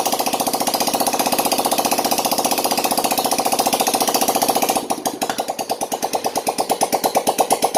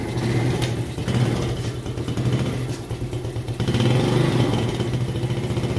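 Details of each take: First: Yamaha Jupiter Z1 / Vega ZR after repair of scored bore, piston and worn valve stems, running with exhaust removed: loud, sharp rapid popping, firing evenly with a few throttle blips; runs healthy after the rebuild. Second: Yamaha Jupiter Z1 / Vega ZR single, kick-started before repair, idling with slightly uneven low putter and faint clatter while smoking heavily; cause found to be scored cylinder bore and piston plus worn valve stems.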